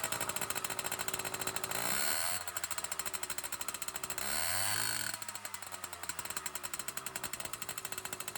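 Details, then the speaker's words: 1980 Yamaha Towny two-stroke moped, sitting since 1992, cold start with welded exhaust pipe: rapid raspy crackle rises with two quick throttle blips and stays harsh and loud; muffler suspected to be a straight-through pipe without baffling. "What kind of muffler is this? I bet you it's a straight line inside there. I bet that's not even a muffler. Terrible."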